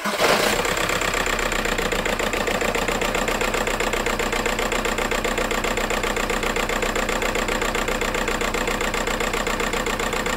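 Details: VW Golf 4 TDI 115 hp pump-injector diesel idling with an uneven, lumpy, stumbling pulse; suspected injector wiring harness or a faulty injector, diagnosis pending; rough idle misfire.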